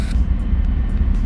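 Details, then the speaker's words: 2004 Bentley Continental GT just started: deep idle rumble with lumpy, uneven beats instead of a smooth hum. It feels like it is running on half the cylinders. Rough idle, misfire suspected but not confirmed. "all right so that actually wasn't too bad but it's running really lumpy the idol is yeah the idol is not not great"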